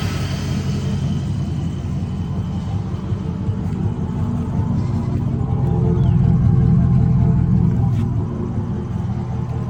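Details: Chevy Silverado after a V6-to-V8 swap; VATS deleted in the tune to cure a crank-no-start, battery disconnected first. Now a deep, steady V8 idle with an even low rumble, no misses or knocks; healthy normal idle.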